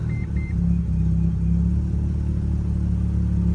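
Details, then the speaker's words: Stock 1987 second-generation Mazda RX-7 rotary, restarted after firing earlier that day: quick start with short starter chirp, then smooth, even, buzzy idle and steady low drone; healthy engine. "so that is what a stock RX7 sounds like and uh these cars are very interesting the the rotary engines in these uh it is extremely smooth very very smooth"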